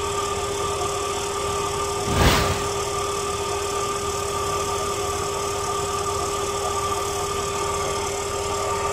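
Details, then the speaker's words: Truck A/C compressor that was squealing, now after the WD-40 fix, engine idling with the A/C running: faint steady tone from the front, no squeal, one brief rush midway. The noise has practically disappeared. "ah como nos pudimos dar cuenta y el sonido prácticamente desapareció"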